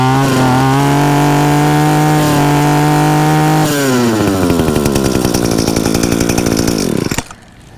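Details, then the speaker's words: Two-stroke weed eater restarted with choke off after cleaning the exhaust screen: buzzes at steady fast idle then revs smoothly and evenly before cutting off; healthy running. "but guys you just saw it i can show you right here that our choke was not on all i did was turn this thing on after we put it back together"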